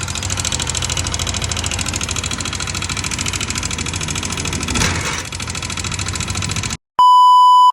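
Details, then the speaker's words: Yamaha Aerox 155 scooter at idle: loud, sharp metallic ticking about three to four per second from the engine. "Maingay po ito. May lumalagitik sa makina."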